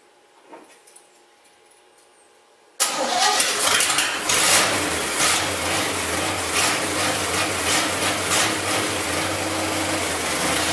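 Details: Basket-case GMC V8 start after fixing the plug wires and fitting the correct carburetor gasket, on bad gas: catches and settles into a steady even idle with a hissy top end; the block is steaming while warming.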